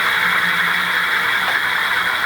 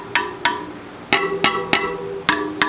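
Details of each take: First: Rad City e-bike with the rear wheel lifted, light throttle given: a smooth, steady high whir from the rear hub motor, no grinding, clicking or rubbing. Normal hub motor running. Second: Rad City e-bike wheel spokes plucked during assembly: they ring at clearly different pitches, with the spokes on one side all different and several lower (looser). Tension is uneven, and the spokes, including the back wheel, need retightening.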